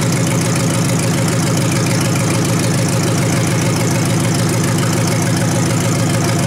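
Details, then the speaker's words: 1953 Hemi V8 idling after a restart: steady low idle with a soft regular beat about three times a second, mechanical fuel pump clicking; oil pressure good, normal idle. "Really good, I think. Don't get no better than that, does it? Oh, I like it. I like it a lot."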